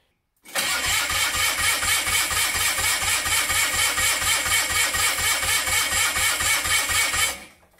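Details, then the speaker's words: Mini airboat with MZ34 engine and Tillotson HR carburetor cranks but will not start while starting fluid is sprayed over the head and gaskets; steady starter churn with no firing, so no vacuum leak found and the owner blames the carburetor. "Alright, well, it does not appear to have a vacuum leak. I've covered about every square inch of that engine with starting fluid and cranked over the starter, and I'm probably lucky I haven't blown up my garage by now."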